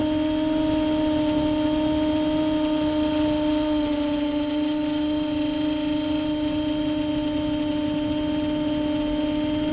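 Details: Multirotor with camera tilted 15° down causing bad vibrations: steady high whine with several fixed tones and rough buzzing underneath, no speed change; owner suspects ESC or motor bearings, unconfirmed.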